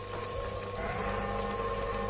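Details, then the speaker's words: Water pump with a broken running winding, emergency fix swapping running and starting wires at the capacitor, started by hand-spinning: steady motor hum with faint whine and water rushing through; pump draws and delivers water normally. "Oke, hidup. Nah, dia langsung menghisap ya dan mengeluarkan air."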